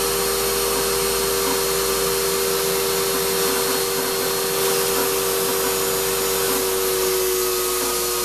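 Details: Shop-Vac vacuuming coarse tumbling grit gives a steady hard whine with a harsh hiss; dust that went through the motor before a dust separator was fitted pretty much destroyed it, and it is not running well.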